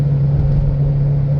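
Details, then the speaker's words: 2010 Chevy Impala while cruising: steady low droning hum holding one pitch under road rumble. Wheel bearing noise suspected, likely front passenger side, not confirmed; no rattling or strut noise heard. "I do hear it sounds like wheel bearing noise um and that's really pretty common on an Impala"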